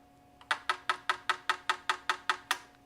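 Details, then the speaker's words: Toyota MR2 with V6 swap on Haltech, a working cam solenoid reached by hand: crisp, even clicks about 2.5 per second, showing how the rear cam solenoid should cycle; the rear one commanded but silent, to be tapped then replaced. "So all 3 cams are working except for the rear one. We're probably, so right now it's set to be, it should be clicking. In fact, if, here, hold on. If I reach over here, you can hear this is what the rear one should be doing."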